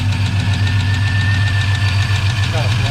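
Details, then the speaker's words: 1984 Chevy truck with a 454 in place of a 305, revived after sitting two years, idling with the alternator charging and the radiator cap off: a light, even tick about four per second over a steady idle; cause unknown, possibly a lifter. "don't know what that freaking noise is I gotta get it I hear some looking I don't doubt about it"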